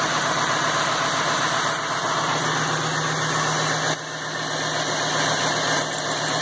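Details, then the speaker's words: Ford F550 6.8 V10 running with top end open and no coolant, oil visibly flowing from galleys; after fouled plug found as misfire cause. Steady, even idle with no dropouts or stumbles: no miss at all. "Oiling well. No miss at all. I'm gonna have to tell you that's what it was, is that foul plug."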